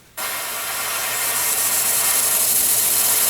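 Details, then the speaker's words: Airbrush spraying a scale model car fender with under-thinned paint: sharp hiss that flutters and sputters unevenly instead of a steady spray pattern; fix is thinning the paint more. "get this fluttering all right now it's spraying on there but that's not going to it's not going to look good and you don't want that you want a nice you want a nice steady spray pattern so we're going to thin that a little bit more"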